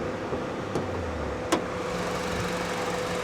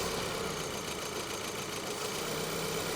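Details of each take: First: 2012 Honda Civic Coupe at auction on the hottest day of the year, front right corner damage; quiet, steady low hum with a couple of light clicks nearby, idling just fine and sounding healthy. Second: 2012 VW Eos on a cold day, stumbling hard at idle with an uneven beat about three to four times a second, bucking instead of settling. The engine struggles to keep running despite damage only at the rear; misfire.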